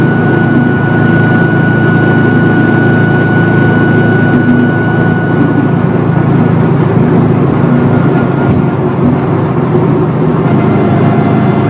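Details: Failed wheel bearing on a 2004 Subaru WRX STI at freeway speed, worsening that day: steady drone with thin constant whine; the humming is rear differential whine, amplified by upgraded bushings and mounts.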